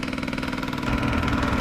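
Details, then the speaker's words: Beautural hand steamer that won't steam, heating element warming: fast harsh machine-gun-like buzzing chatter at a steady rate; owner suspects pump fault, not yet opened. "I don't know if you can hear that. Sounds like a machine gun or something."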